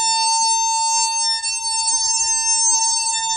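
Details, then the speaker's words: Husqvarna Automower with no loop signal and a flashing blue light on the charging station: a wire locator wand gives a steady, loud high-pitched tone directly over the live boundary wire, used to trace a break in the wire. "Now, you can hear just a faint beep. Now watch this. As I get closer, it's getting louder."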